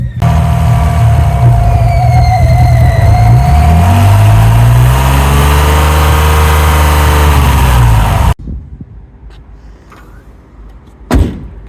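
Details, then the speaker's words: Alfa Romeo 156 V6 after a rebuild: a faint thin whistle over the exhaust note rises and falls with revs. The builder thinks air is catching where the smaller intake meets the Porsche manifold; later the manifold was modified so the intake fits. "we are getting some like whistling coming from it, where I think the air's catching it. So you can hear a little bit of whistling going on."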